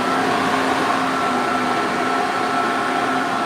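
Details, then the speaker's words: 1986 Silverado 4.3 V6 with a new aluminum radiator; the engine is switched off while the electric radiator fans keep running. A steady, even whir of constant pitch with no rattle or rubbing. Normal cooling fan operation. "I'm going to go over here and I'm going to turn the truck off, but I'm going to let the fans keep running."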